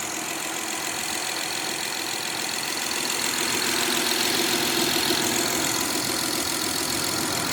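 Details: 2011-2017 Honda Odyssey, first start after timing belt kit replacement (over 12 hours of work): steady, even idle hum with a faint belt-area hiss, no ticking, slapping or misfire; normal idle.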